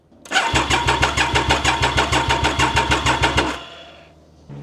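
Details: Triumph Daytona 955i project bike on a temporarily fitted fuel tank with the pump primed: steady starter cranking at about three compression pulses a second for three seconds, never catches. Cranks but no start; cause not confirmed.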